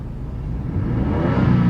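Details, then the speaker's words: Ford F150 XLT after fixing engine hesitation, sensor refitted and codes erased, check engine light gone: engine note climbs smoothly under throttle with no stumble or stutter; clean, healthy acceleration. "yep it takes the accelerates better now does not stutter it goes then calculated load"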